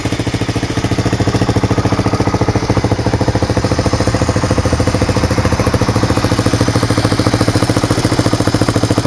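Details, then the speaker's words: 1985 Honda 250SX ATC three-wheeler, about 30 years old, idling: steady single-cylinder idle with light even clatter about three and a half beats a second; owner thinks nothing is wrong, runs fine. "being a 30-year-old bike, I mean, it's going to have a a noise here and there, but I honestly don't think there's anything wrong with it."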